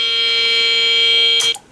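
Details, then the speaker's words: BBC Model B microcomputer at power-on: a loud unbroken mid-pitched continuous tone instead of the normal startup chime; boot failure traced to a faulty DFS boot ROM. "a continuous tone like that means that there's normally a serious problem somewhere with the main motherboard of the of the BBC"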